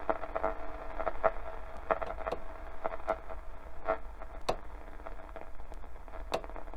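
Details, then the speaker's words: 1969 Fidelity RAD 16 four-band transistor radio, never repaired: shortwave static and faint tone broken by sharp irregular clunks as the tuning dial cord slips. "Again, you can hear that clunk. That's the actual sort of the actual chord that you use for the tuning dial just slipping."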